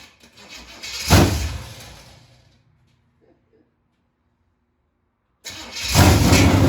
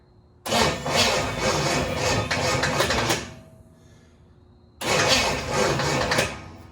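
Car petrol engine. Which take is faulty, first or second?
second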